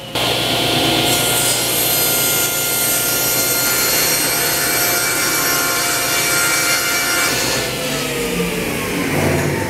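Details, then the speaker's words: Grizzly G1023SL 10-inch table saw, first cuts after purchase: steady, even rasp of the blade through wood with no knocks, wobble or bogging; normal smooth cutting. "It's amazing how much more quality and just smooth everything is on this saw."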